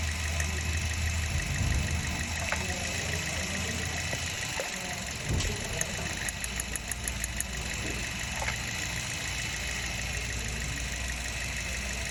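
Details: Petrol engine idling unevenly with an irregular stumble suggesting cylinder 3 not firing; random misfire, oxygen sensor suspected, cause not confirmed.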